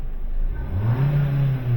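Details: 2021-2024 Kia K5 1.6L turbo GDI engine after an oil change and code clearing: smooth, clean rise in engine note that holds steady without surging or hunting; rpm solid, revs normally.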